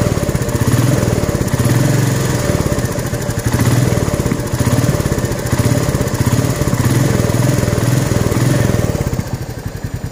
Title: Royal enfield Meteor 350 Engine noise.. newly found...